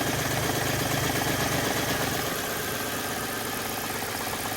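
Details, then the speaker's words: Audi D2 S8 V8, first start in about a year after a 2020 crash (bent cam and power steering pulleys), serpentine belt off, after some silicone: steady, even idle with no rubbing squeal, now running not bad. "okay is it a parts car is it not a parts car I don't know um actually now it's running not bad"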